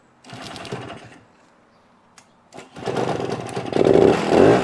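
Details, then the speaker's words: 1971 Yamaha AT-1 Enduro two-stroke started on the electric starter after setting the points and ignition timing with a buzz box and dial indicator. A short whirr, then it catches into a steady buzz: a clean start. "i'm gonna reach up here and hit the electric starter see what we got"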